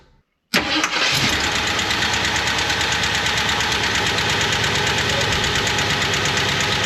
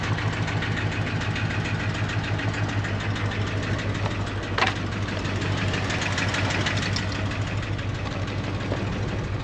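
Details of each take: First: 1977 Jeep Wagoneer, AMC 360 V8, automatic, Edelbrock 1409 600 CFM marine carb, started after refitting throttle linkage and spring: fires right up and settles into a steady, even idle with no misses or knocks; normal idle. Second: 1977 Jeep Wagoneer, AMC 360 V8, automatic, Edelbrock 1409 600 CFM marine carb, seems to run rich: steady low idle with fast, loosely even tapping and heavy blue smoke; owner suspects worn rings burning oil; blue exhaust smoke.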